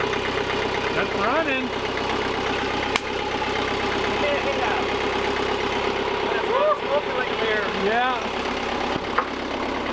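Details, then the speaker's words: 2007 Bobcat S185 with Kubota V2003 turbo diesel, after repairing the sheared injection pump cam keyway and setting timing to marks: steady even idle with no knocks or misses; running normally. "well that's great news cup hunter box a bunch of time in troubleshooting and we got ourselves a pretty sweet Bobcat so it only needs a couple more things coolant we want to put a new block heater in it but it's working like a charm"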